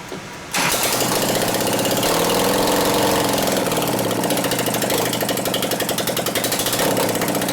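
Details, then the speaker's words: 2001 Gilroy Indian Chief V-twin race bike rebuild, running with no exhaust pipes after the plug wires were pushed over: lumpy, uneven running that misses about three and a half times per second and wants to fire but doesn't; ignition fault suspected, not confirmed. "it actually acts like it wants to hit, but it doesn't."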